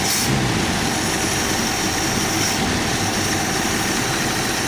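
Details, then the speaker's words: Carbureted AMC Jeep engine, all emission devices still connected, just started on choke: even steady idle with constant gravelly whirr from the spinning air pump; engine itself normal. "Every emission device is still hooked up on this car. And you actually hear the air pump spinning. That's what that gravelly sound is."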